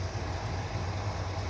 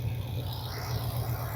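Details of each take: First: Corvette V8, idle lowered from 1000 to about 900 rpm after timing change: low, lumpy idle with sagging pulses, sounds about to die; idle speed set too low. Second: Corvette V8, timing light set to 12, after tuning with an exhaust leak still present: steady, even idle about four beats a second, smooth deep rumble; normal idle.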